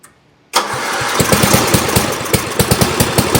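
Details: Old Montgomery Ward Power Kraft tractor, first start after cleaning, choke and throttle fully up, oil full: silence, then the cold single-cylinder engine catches and settles into a quick, choppy putter with a few uneven beats.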